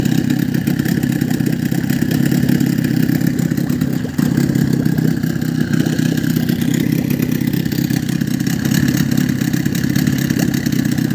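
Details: Outboard motor running at steady fast idle with even buzzy two-stroke beat, no misses, after sealing fuel filter against a suspected air leak and replacing carburetor pump plate to fix sneezing.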